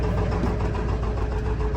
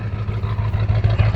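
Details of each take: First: 7.3 Powerstroke diesel auction truck listed as burning lots of oil, started in extreme cold (about 50 below): steady low diesel clatter at idle, even with no miss, not even smoky. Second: 7.3 Powerstroke diesel truck sold as burning lots of oil, started cold without glow plugs: deep, lumpy idle rumble with uneven pulses dropping out of rhythm and heavy smoke; misfire, cause unknown (bad injector or fuel suspected).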